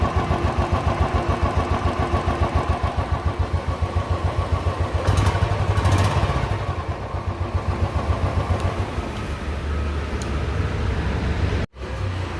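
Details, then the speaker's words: Royal Enfield Classic 350 single-cylinder after hydraulic tappet tik-tik noise repaired without replacing the hydraulic, just reassembled: even single-cylinder thump about 3.5 beats a second, no valve ticking; engine now silent, healthy idle. "तो देखा अपने गाड़ी एकदम silent हो चुकी है और अगर इसमें आपको कोई कमी लगती है तो कमेंट करके जरूर बताना और बताना मुझे कि इसमें आवाज है या नहीं है"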